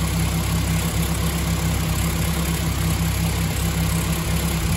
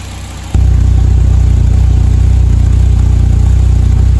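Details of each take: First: BMW M3 E30 with S14 engine: a steady but lumpy, faintly stumbling idle after the ignition and coil were replaced but before the new spark plugs arrived. Worn, oxidised plugs cause misfiring; the idle is smooth once they are replaced. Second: BMW M3 E30 S14 engine after ignition overhaul with coil and new spark plugs: catches cleanly and settles into steady even idle with no misses, curing rough running and hard starting — normal idle.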